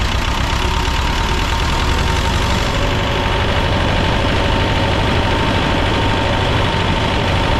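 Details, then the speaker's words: Belarus 250AS two-cylinder diesel tractor, about 1985, after sitting for years, first-stage filter refilled, second-stage filters next: rough, lumpy idle staying flat without picking up speed; won't rev on its own, suspected fuel starvation. "Um, as you notice, I've it's got it where it is idle. It'll run, but it will not rev up on its own."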